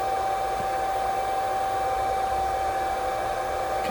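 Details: CNC spindle driven by a VFD after the control panel reset and master relay closed, with the potentiometer now set right: a steady, even, high whine holding one pitch with no rubbing or catching; running smoothly.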